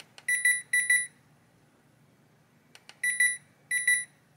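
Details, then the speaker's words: Hisense air conditioner indoor unit board on the bench, powered on: clean high-pitched chirps in short clusters, a pause, then two more clusters as it shuts itself off, traced to missing fan motor feedback. "اس ماڈل کے ہائی سینس کے ایئر کنڈیشنر کے اندرونی یونٹ کے ساتھ ایسا ہوتا ہے جیسا کہ آپ نے دیکھا ہے، ہم اگنیشن پاور دیتے ہیں۔ اور یہ بند ہو جاتا ہے"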